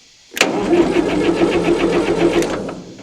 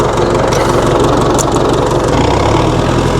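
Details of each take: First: 1960 Massey Ferguson FE35 4-cylinder diesel, long unused in a paddock, first start attempt after fitting a battery, checking oil and water and adding fuel; steady cranking about four compression beats a second for two seconds, stopping without catching: crank no start. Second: 1960 Massey Ferguson FE35 4-cylinder diesel tractor, after sitting long in a paddock: steady, even low idle clatter with a firm low thump and no misses; idles normally.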